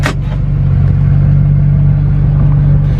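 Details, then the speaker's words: Test drive after re-shimming a belt pulley, with the TCM loosely refitted. The squeak earlier ran from 1300 RPM up, and after the first shim from 1500 to 2200 RPM. Now a deep, even diesel rumble with no chirp or squeal; the belt squeak is fixed. "I don't know if you'll be able to hear it so you might have to take my word for it but clearly no belt squeak right"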